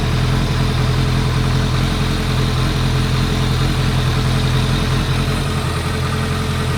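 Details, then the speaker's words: 2001 Kawasaki ZRX1200R with CVK carbs after carb work, warming up during synchronizing: even, steady four-cylinder idle with a smooth low burble, no misses or knocks; all four cylinders firing. "We're definitely popping on all 4."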